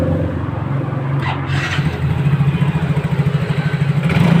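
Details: Yamaha Mio J scooter, reassembled after repair for smoking caused by a stuck ring expander, cleaned to fix: steady even idle that picks up cleanly on a short throttle blip, no misses or knocks; engine healthy.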